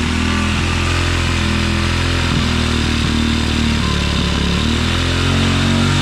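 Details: 2016 Tao Tao 110cc pit bike idling rough, revs jumping as carburetor cleaner sprayed at the intake gasket is sucked in as fuel; idle screw has little effect and it wants a high idle. Bad intake gasket causing an air leak; head gasket also leaking.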